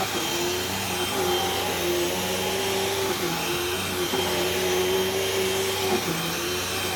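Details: Brand-new Hoover cyclonic vacuum with rewind cord: steady motor roar with a thin wavering high squeal; drive belt squealed a little, slipping slightly, may need changing but shouldn't be too bad.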